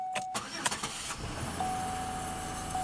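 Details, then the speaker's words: 2003 Pontiac Grand Am GT, day after first start, around 40°F, after lifters were cleaned: brief crank, quick catch, quiet even idle with no lifter tick. A rattle is suspected from exhaust or a pulley. Normal start. "No lifter tick."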